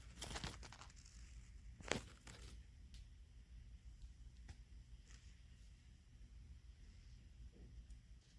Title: apt breaker box does buzzing sound and makes sparks